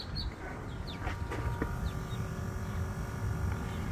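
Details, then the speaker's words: MK1 Audi TT Quattro 1.8T, during Grams 70mm throttle body adaptation with engine off: faint steady electric hum from the auxiliary coolant pump, over low outdoor rumble. Auxiliary coolant pump running normally. "what you guys are hearing is the uh this coolant pump down here the auxiliary coolant pump"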